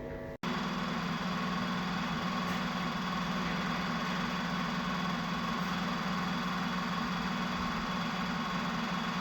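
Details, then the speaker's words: Opel Manta hatchback with an Ascona front end, first run after about 20 years sitting, still on old plugs: steady low idle with an uneven, lumpy beat. It runs rough; the idle is being raised and the points/distributor checked. "well it runs a little bit Missy but it hasn't been run for 20 years or so so I'm going have a little dialout now try and turn the idle up a little bit"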